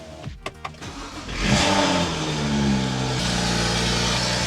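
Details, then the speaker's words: BMW E82 N55 (upgraded) after replacing the fuel pressure regulator to cure months of fueling issues: short crank, quick rev flare, then a smooth steady idle with no hunting or rocking, unlike the earlier slow, rocking idle. "First off, and right off the bat, the idle is immediately better or it was like a really slow like. Now it's doesn't seem to rock at all."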